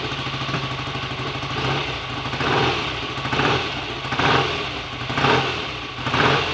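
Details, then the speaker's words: BSA A65 Lightning parallel twin on first start after a full rebuild with a replacement crank and a new SRM oil pump: it catches and revs in blips with crisp, even firing and no knocks or rattles; normal running. "okay that's not bad at all for a first attempt I like to just screw the tick over screws in a little bit and yes it looks very promising"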